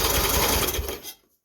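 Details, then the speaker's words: 2017 Craftsman T2200 riding mower with a 19 hp Briggs & Stratton, after a valve adjustment that lets compression release: fast, even cranking whirr for about a second with no catch or stall on compression. It turns over freely. "as how I adjust it now watch I crank it over and it cranks"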